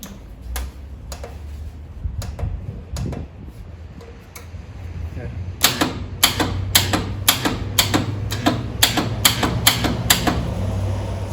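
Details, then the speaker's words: 1947 Willys CJ2A that sat in a barn for nearly a decade, trying to start on battery charger: sharp solenoid clicks about two a second with no cranking; the solenoid works but the starter motor is dead and was replaced. "I think the starter solenoid's working. The starter is not."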